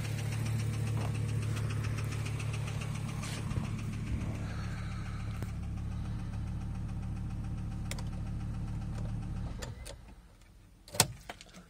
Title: S70 T5 idling with rod knock